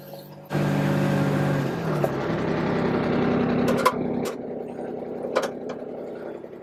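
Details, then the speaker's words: Kubota RTV1140 diesel side-by-side with a long-crank cold-start complaint, after glow plugs found not firing and the fault repaired: key on, glow plugs on, engine catches almost at once and settles into a steady, even clatter; normal cold start. "Key on, glow plugs on. There we go. Give it a little bit. Fire it up. Whoa, that was quick."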